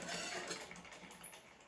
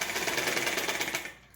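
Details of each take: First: Household sewing machine after removing thread debris and cleaning the hook area and bobbin case, then refitting the bobbin case; light, fast, soft whirr with no clatter; runs smooth and quiet. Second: Household sewing machine before cleaning; fast, sharp rattling clatter about fifteen beats a second, then coasts down; running noisily.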